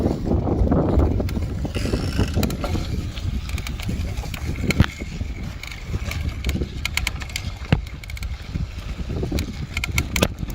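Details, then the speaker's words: Bicycle being pedalled: sharp, irregular crackling clicks over road rumble with each pedal stroke from the bottom bracket area; a bottom bracket cup working loose in its threads. "в начале видео вы слышали что были такие похрустывание именно когда крутишь педали"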